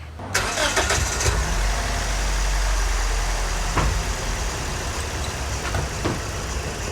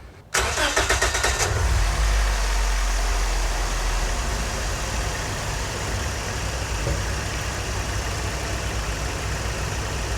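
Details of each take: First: Scion xB four-cylinder, code P0300, idling lumpy with occasional stumbles; after swapping cylinder 2's coil pack to cylinder 1, the OBD reader shows the misfire moved to cylinder 1, confirming a failing coil pack; plugs were re-gapped earlier without fixing it. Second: Scion xB after replacing the cylinder 2 coil pack that caused a P0300 misfire: short starter crank, quick catch, then a smooth, even petrol idle.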